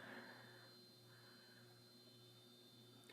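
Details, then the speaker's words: 1989 SMC Laguna KB36 ceiling fan with light kit, on low speed, downdraft: quiet, steady low-pitched electrical hum with a faint hiss; the motor has a fairly loud hum. "and we'll click on the low on Dawn draft has a pretty loud home to it probably hear it no probably not"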